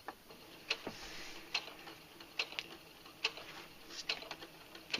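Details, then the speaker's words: Brother SE 350 sewing machine set as slow as it will go; crisp, even ticks a little over one per second from the needle mechanism, no grinding or skipping. Normal slow-speed running. "Alright, put the foot up. Let's go as slow as it'll go."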